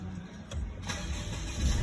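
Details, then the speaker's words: 2019 Mercedes-Benz 2.0 that would not crank after a crash, started after running the engine ECM function enabling engine start after crash event: brief crank, then it catches and settles into a steady low idle with no stumble or misfire. "there you go and it starts"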